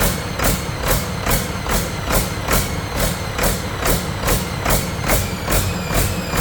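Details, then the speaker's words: Detroit 40 series generator turbo diesel (rebranded Navistar DT466, possibly DT530), sat outside 5+ years, run briefly without coolant: speed rises and falls about twice a second, no knock, at no load, throttle pulsing; owner suspects flywheel governor, unconfirmed. "Well, something's a little goofy with that governor back here. Like I said, this throttle is like pulsing in my hand, so there's some kind of flywheel governor in there."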